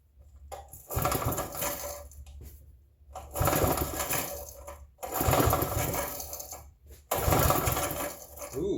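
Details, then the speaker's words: Vintage generator, unused perhaps 2–5 years or more, choked, no primer: four rope pulls give short rattling whirrs with no firing, because the run switch wasn't fully on; once set, it fired right up. "All right, we seem to have an issue. [snorts] Well, all righty then. Uh, apparently the on button was too far over. I put it right there and it fired right up."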